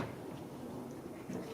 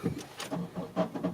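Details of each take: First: 2001 Honda CR-V that had a grinding starter, after installing the missing second starter mounting bolt: a quick crank, then it catches cleanly into a steady idle with no grinding. Normal start, fixed. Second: 2001 Honda CR-V, hard starting with a nearly new battery; while cranking, uneven, rough chattering bursts about five times a second, starter grinding.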